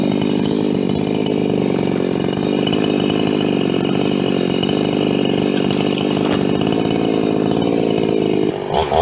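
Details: Husqvarna 350 chainsaw "Fugly" with Huztl top end, back after months on the road and field repairs (gas leak fixed); steady high-revving two-stroke buzz, no misfires or surging, note changes near end: healthy normal running.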